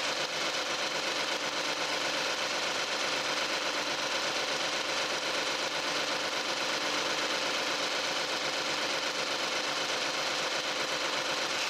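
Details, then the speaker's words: Used Genesis DH G330 Premium AWD, accident-free, heard at idle with the hood open: smooth, quiet V6 idle with no belt squeal or knocking; a healthy engine. "벨트 글루 소리 그리고 헤드 때리는 노킹 엄한 전혀 들리지 않는 좋은 정숙한 엔진음을 들여 주고 있었구요"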